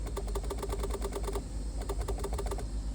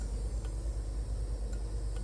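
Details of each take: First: Barn-find Bertone X1/9 being revived after years in storage, horn button pressed: quick, dry horn relay clicks but no horn tone at all. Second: Barn-find Bertone X1/9 being revived: faint, sharp relay clicks tick over a low steady hum as the turn signals flash normally.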